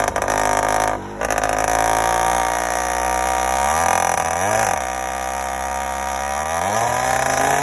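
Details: Yamaha YD100 two-stroke, first startup with Dio reed valve, newly ported cylinder and windowed piston, untuned, phone in rider's pocket: crisp buzz settling to a steady idle with smooth clean blips; starts easily, sounds good.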